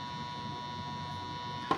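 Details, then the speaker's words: Tanzu battery-powered portable fan on an LXT battery, labelled BL brushless but actually fitted with a brushed motor: a steady thin electrical hum with fixed high tones, then a click; brushed motor drone, noisy, unstable and very hot. "Nah, ini dengung khasnya dari dinamo biasa, dinamo belum brushless, bukan brushless, itu berdengung ya."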